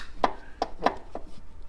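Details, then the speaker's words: BMW HP2 Enduro with starter motor removed, clutch turned by hand giving sharp uneven clacks in short groups after sudden noise accelerating at 120–140 km/h; something loose or main bearing suspected, not confirmed. "it makes this this sound that I think is the root cause of the red link that I have shown you before so maybe something come loose or I have a main bearing or something like that that destroyed"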